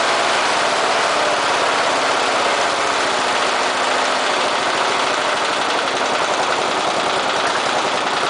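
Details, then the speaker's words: Briggs and Stratton engine fitted with an oxygen sensor, at low idle after richening the mixture: steady, even beat with no stumbles or hunting; runs smoothly on a slightly rich mixture. "so reasoning the mixture even at low idle uh improves the engines running this this engine does not like to run at a very lean mixture at all it likes to be on the on the rich side so"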